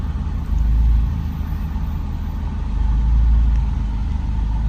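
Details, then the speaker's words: 2015 Scion tC after installing Torque Solutions V2 front motor mount; deep, uneven idle rumble sagging and recovering every couple of seconds, idle around 500 rpm, lower than usual, cause unknown. "The idle's lower. I don't know why. Lower? Like how much lower? Like 500."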